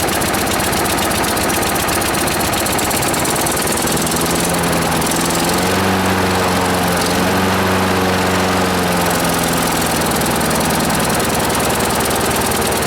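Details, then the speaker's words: Free lawnmower, running on its cleaned carburetor with choke on: single-cylinder putter sags and bogs, won't rev up; owner suspects debris jamming the governor under the shroud. "yeah so it's running with the choke that you hear it bogging I have a feel I'm going to pull this the Shroud off of here we'll find a bunch of debris on the governor that's causing it not to rev up"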